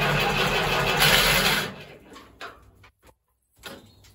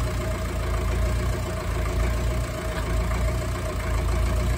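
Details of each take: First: Ferguson TEF20 tractor diesel, sat over a year, fuel system bled of air, starting to smoke: loud rough cranking catches briefly then dies to near silence; hard starting from airlocked fuel system. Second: Ferguson TEF20 vintage diesel tractor, restarted after a year (previously sat over 10 years), running again after bleeding air from the fuel system: steady low diesel clatter at idle, even and unbroken, no stumbling or misses; normal idle.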